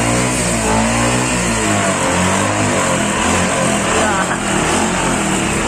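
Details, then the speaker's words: Motorcycle engine that had seized from dry oil with the kickstarter stuck, fixed without engine teardown, test start: the engine catches and revs freely, firing evenly with the throttle, no knock or drag; it now runs normally. "Oke, sudah berhasil."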